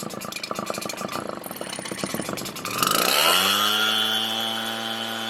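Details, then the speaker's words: Redmax EBZ7500 two-stroke backpack blower, cold start: ragged pull-start chatter, then catches and climbs to a high wail, running rough; dirt found in the fuel, dumped and refilled with fresh gas, and the fuel filter swapped for the kit one. "it's got nothing but dirt here all right let me dump that out start refreshing alrighty so fresh gas"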